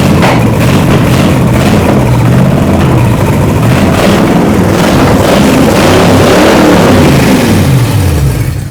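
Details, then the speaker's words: Freshly rebuilt 1968 Dodge 318 V8 from a scrap yard, seized about 20 years and destined for a 1969 Charger, first fire-up on open stock manifolds: strong, even burble at fast idle, no knocks or misses; runs healthy. "Man, this thing that sounds great. I can't believe it just fired like Oh, I mean, you know what?"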